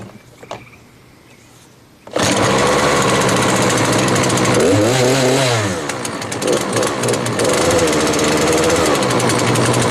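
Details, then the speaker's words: Small two-stroke weed eater after fixing bogging and no idle: spark plug changed, spark arrestor removed, carburetor tuned, air filter cleaned; it fires up and holds a strong, steady high buzz, revving cleanly. "Works awesome now. In total, everything I did to this was change the spark plug, take out the spark arrestor, and then tune the carburetor a little bit."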